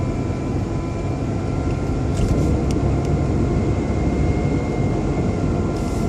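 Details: BMW 120i E87 running: thin constant high motor-like whine over the rumble, seemingly from behind the airbox; oil change did not cure it, cause unknown.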